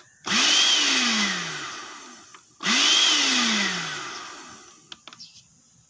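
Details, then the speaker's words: Automatic blender with a control module, owner reports it runs only briefly: motor whirs up about two seconds, then winds down and stops, twice; switch, carbon brushes and coupling judged fine, module suspected faulty. "tadi sudah kita coba Sudah kita Nyalakan jadi hanya nyala sebentar mati sebentar mati ya"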